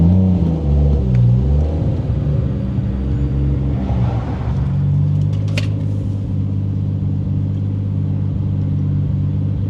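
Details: 1989 Toyota Supra, stock-block 2JZ-GTE, BorgWarner S362sxe turbo, T56: level 2 boost, about 20-21 psi, pulled close to redline; strong smooth rising pull, no misses or rattles, healthy.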